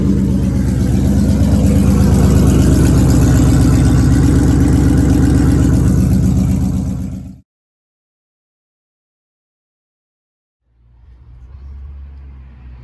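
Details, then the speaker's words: First start of a Ford Coyote V8 swap with a 10R80 transmission: even idle with no surging and a crisp puffing tick on every pulse, then shutdown. A pretty good exhaust leak at the header collector joint. "The engine idled perfectly fine. Wasn't like surging or anything like that. And the only thing that I noticed was a pretty good exhaust leak."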